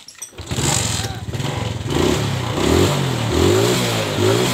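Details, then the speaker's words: Suzuki Smash motorcycle, which would not run without a battery; with the battery refitted and tightly connected it cranks and fires right away, then settles into a steady, lightly loping idle; normal start and idle because the battery is good. "Oke teman-teman ini bisa dilihat ya motornya normal-normal saja karena akinya itu normal"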